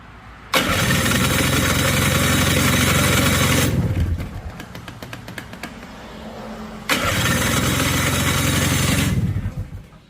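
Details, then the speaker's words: Honda FL250, ice cold, not previously started, fresh fuel and battery hooked up: steady starter cranking at about four turns a second, twice, with no firing because the ignition switch was left off. "Oh, I forgot to turn it on. What an idiot."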